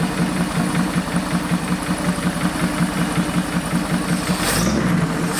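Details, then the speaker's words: 1973 Chevy Nova after a barn fire, after reconnecting a large disconnected vacuum hose and refitting the valve covers: smooth, even idle with a steady low pulse of about three beats a second, no misses or stumbles. "Okay, that's actually really really good. Wow. It's even fairly smooth."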